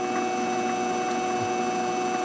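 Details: MX-180V mini lathe after adjusting the IR potentiometer to fix speed surging; even, unwavering motor whine with constant loudness, no rising or falling surges; normal steady motor speed.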